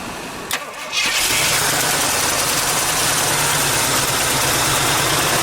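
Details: 1978 Jeep J20 4x4 plow truck V8, an auction buy of unknown running status, started in very cold weather with gas poured down the carburetor: brief crank, fires within a second and holds a fast, steady cold idle. Starts fine but hasn't idled down yet.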